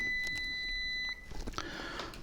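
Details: Kaiweets ST600Y digital smart multimeter (6000-count, True-RMS) in continuity mode: a clean, steady high-pitched beep lasting about a second, showing continuity detected and a working buzzer.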